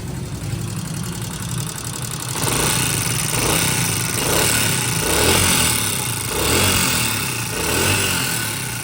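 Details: Honda CD70 motorcycle single-cylinder idle with light, fast ticking from the top of the engine, typical of loose tappet clearance, before tappet adjustment.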